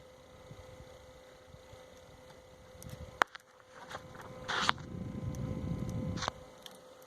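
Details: Sony BDV-E4100 home theater panel cooling fan heard at night in a quiet room; faint, steady mid-pitched hum under handling clicks, stated normal for this model: normal cooling fan hum.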